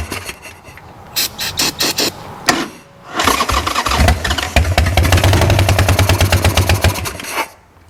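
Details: Wrecked 1996 Harley-Davidson Sportster 1200, parked several years: starter grinds in short tries, then cranks steadily about three turns a second and stops without catching; fuel reaching carburetor but won't start, battery draining.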